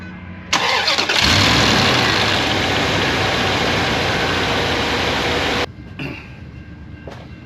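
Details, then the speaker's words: Dodge Dakota just after water pump (Dayco DP962-S) replacement, old pump let the fan wobble and hit things: quick crank, clean catch, steady even run about five seconds with no knocks, squeals or rattles; normal start. "right everything sounds good and I did just replace the pump"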